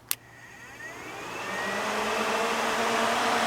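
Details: Ford Festiva electric cooling fans switched on via a newly installed NiRider switch panel, heard from the front of the car: sharp relay click, then a whoosh rising smoothly in pitch to an even hum; fans spin up normally.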